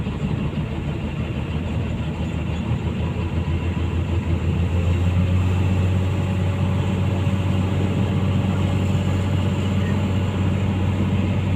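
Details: Komatsu PC200-8 excavator diesel idling steady and smooth with no misses or knocks, in a case of crank-no-start from a defective common-rail pressure sensor giving no rail pressure.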